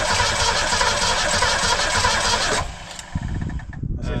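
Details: 1962 Ford Falcon wagon with a 200 cu in straight six, believed from a 1966 Mustang, sitting over 20 years, with new fuel lines and filter and the choke stuck open: it roars evenly about 2.5 seconds on poured fuel, then stutters and quits from fuel starvation.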